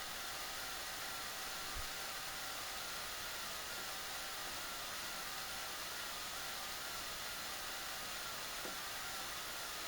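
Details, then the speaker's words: Studio audio chain: faint steady high whine under soft hiss, unchanging; owner suspects the Sony unit; not confirmed. "you can hear that little whining sound that little sony stds whining sound in the background"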